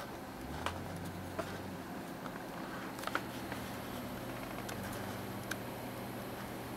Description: Most of the noise is coming from the stock Rosewill case fan on the side.